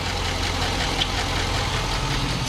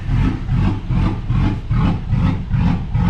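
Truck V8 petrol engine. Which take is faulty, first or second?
first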